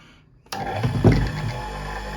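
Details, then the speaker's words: Capacitor motor on 220V with its working capacitors, plugged into the socket: quiet, then it spins up in under a second to a smooth, steady hum. A normal start and run at about 3,000 rpm. "So we plug it into the socket The engine starts We turn it off That is, this is a start with capacitors"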